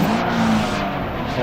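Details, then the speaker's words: 06 Dodge Magnum 5.7 L V8, already warm from a trip, just fitted with a K&N cold air intake, no check engine light: quick throttle blips climb cleanly and drop back smoothly with no miss, rattle or hesitation; healthy. "All right, go ahead and give her a couple of quick revs. Do it again. Oh yeah, you can hear that throttle open up real good now."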